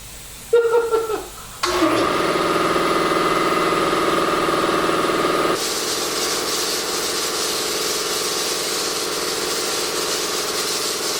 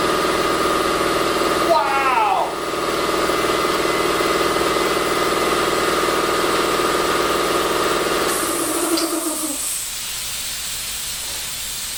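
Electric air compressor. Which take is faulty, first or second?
second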